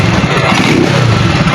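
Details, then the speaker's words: Euro 150 motorcycle that was misfiring, after the local spark plug was replaced: short blip revving up and dropping back cleanly, no stumbling or missing beats; revving now good where it misfired before. "Ayan gumanda yung revolution mga idol Ayan gumanda kanina pag ginaganon natin mapalya na."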